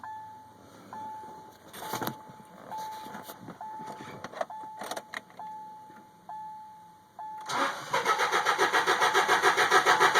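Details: 2002 Subaru Outback H4 manual, cranking first with fuel pump fuse pulled, then with fuse in place: starter cranks steadily at about three and a half turns a second but the engine never catches; crank no start.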